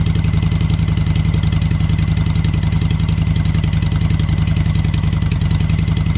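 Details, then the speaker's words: Motorcycle V-twin fitted with a used Cobra 2000 EFI controller set at 122, just started. Even, regular idle with a steady rhythm and no misses, rattles or stumbles; it sounds better than before the adjustment. Normal idle. "Like I said, I got this set at 122, and the bike actually sounds better."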